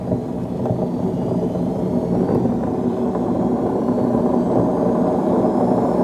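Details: Beko D5 7101 washing machine with plastic tub, before drum bearing and seal replacement: steady low rumbling roar throughout the spin with no let-up, from a worn drum bearing.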